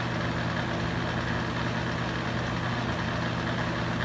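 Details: Used Hurricane box fan, running on high speed: steady loud droning hum with a low buzzy rattle. Excess vibration; cause unconfirmed.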